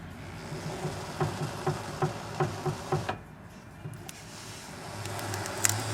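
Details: Chevrolet Aveo steering turned left and right: sharp, evenly spaced knocks/crackle from dry inner tie rod joint on the steering rack, quieter as the car cools slightly.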